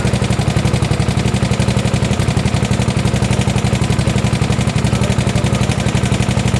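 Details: 1972 Gravely 816 tractor, Kohler Command 18 engine, first run after carb fix: sharp regular knock about three per second over rough idle; rod knock, engine blown up, likely why it was parked.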